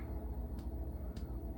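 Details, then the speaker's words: Samsung washing machine, about 14 years old, after replacing flange shaft (spindle) and bearings: soft low even drum rumble with no clunking or knocking, much quieter than before; drum rotating normally. "Well, it's quiet. Normally it's already it"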